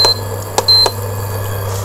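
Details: Induction cooker after repair with new IGBT, running at full power with a pot on top: a few short high control-panel beeps over a steady low hum; sounds normal.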